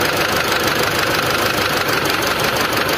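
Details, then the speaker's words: Old Mitsubishi Triton diesel at idle with white smoke, rough running and low power: harsh, uneven tapping about twice a second over a rough diesel clatter; injector knock traced to the leaking number-two injector. "Oke kita cek injektornya dulu yang bikin Asep Putih suara tang tang tang tang itu injektornya k"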